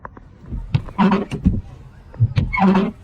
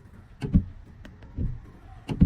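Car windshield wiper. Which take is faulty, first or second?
first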